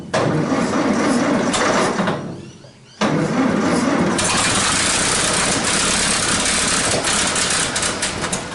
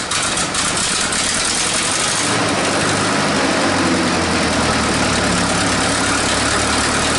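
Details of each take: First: 1947 Nuffield grader parked 20+ years, battery terminal suspected after it stopped cranking: rapid uneven cranking, brief drop, then engine catches and runs roughly and loudly; electric start works again. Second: 1947 Nuffield grader revived after 20 years parked: steady idle with raspy hissing chuff over the engine note, settling lower after a few seconds; exhaust leaks need fixing, and it runs hot.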